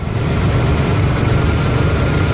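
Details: Ford 2.9L V6 with rough, high idle: steady low drone held at raised idle without hunting; idle air control valve replaced last year; cause not yet found.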